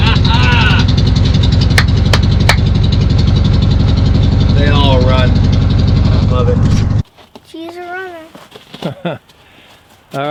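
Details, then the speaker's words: 1966 VW Westfalia SO42 split-window bus, off the road since 1987, running after static timing: steady even low thrum about four beats per second, no misses or knocks; clean normal idle. "mission accomplished 66 SL 42 Westie she's a what she's a runner that's right super pumped about that she's been off the road since 87"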